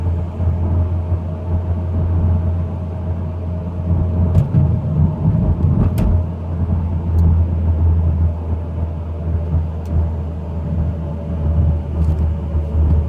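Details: Mitsubishi Lancer Evo X GSR while driving: faint steady mid-pitched whine over low road rumble, present for 30k miles; owner suspects transmission or transfer case, unknown.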